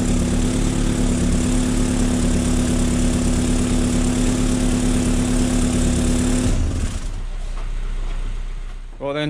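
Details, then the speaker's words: Astra H VXR after K04 turbo core replacement with a billet hybrid core, rough busy idle with a sharp puffing chuff as the downpipe clamp joint blows exhaust before cutting off; re-fitting the clamp cured it. "i'm i'm pretty convinced that's going to uh blow so i've never been i've never once put that one the first time"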